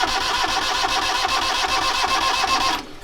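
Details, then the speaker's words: Sailboat diesel, first start attempt after refilling with oil, fuel lines being cleared, battery still above 12 V: steady starter churn at about four turns a second that never catches before cutting off, as there is no start yet. "a little bit more okay oh we uh we got nothing what do you mean you haven't the battery die no it's still above 12."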